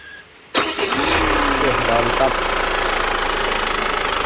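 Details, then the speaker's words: Chevrolet Captiva FL diesel, left standing six years, started after starter motor (dynamo) previously repaired: brief crank, engine fires at once and settles to steady idle, starter engaging cleanly; normal start, engine-check indicator clear. "Nah, mudah-mudahan nanti normal starternya, nggak ada masalah lagi dengan dinamo starternya."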